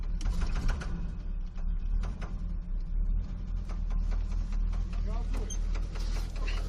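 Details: 1979 Oldsmobile Toronado engine knocking: low, heavy rumble at idle with irregular sharp taps on top before shutdown; knock present, cause not yet pinned down, heading to the shop.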